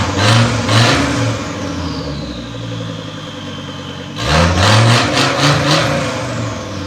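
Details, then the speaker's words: Volvo S60 T5 engine in a front half cut from the car, running with open exhaust: loud raw idle, two quick smooth revs settling back, runs clean. Running after days of crank-no-start. "Well, I'm as happy as can be. It runs, finally. I've been trying to get the car running since Sunday."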